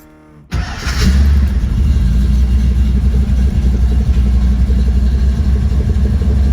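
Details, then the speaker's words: 1977 Mustang Cobra II V8, sold as a blown motor, owner unsure if rod bearing and oil not at operating temp: fires up at once into a deep, steady rumble, revs evenly with no knock or tapping; engine sounds healthy and smooth. "Like, look at that. Freaking nuts. I feel like there's nothing wrong with it. Like, listen how smooth this thing is."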